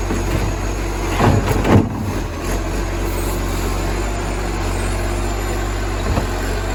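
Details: Moreland garbage truck #FN11487, a spare 22m flat-faced Acco-cab diesel with a massive exhaust leak, recorded from the exhaust side at idle: loud, raw low roar with a couple of louder surges.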